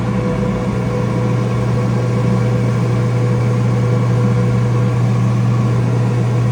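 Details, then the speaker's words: Flooded Kenmore/Whirlpool dryer that wasn't heating, drum removed, motor suspected bad: motor run while held back by hand gives a constant low hum that doesn't bog or stall; motor warm, not hot, feels normal; suspected to have overheated previously. "Motor is definitely warm, not hot, totally normal feeling. I was holding it back and it turned no problem."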